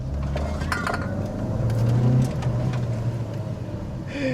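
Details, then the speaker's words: High-mileage Mini Cooper on first drive after extensive repairs, cruising with coolant temp normal: clean pull with smooth rising intake roar, no knocks or rattles; healthy acceleration. "The induction on this is really good now. I mean, it's not fast by any means, but can't really open it up on this lane too much."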